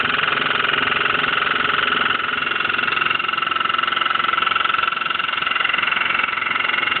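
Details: Steady drone with a rapid regular pulsing of about three beats a second, like rhythmic knocking or vibration as the drum turns, on a Hotpoint washing machine making an abnormal running noise.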